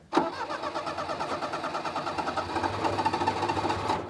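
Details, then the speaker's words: 1988 Daihatsu Hijet mini truck, stored about 2 years after dying: engine catches, runs rough for a few seconds, then dies; it backfired earlier, owner suspects a gummed-up carburetor; hard start, won't stay running. "it's definitely a carburetor issue cuz it'll run when I shut it off earlier it backfired so I don't know what the deal"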